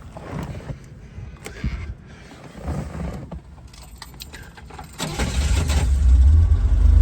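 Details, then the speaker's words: 1965 Chevrolet Corvair Monza convertible, low-mileage survivor, 140 hp flat-six, automatic: handling noise, then starts right up at once and settles into a smooth steady idle; normal start. "Starts right up and idles nicely."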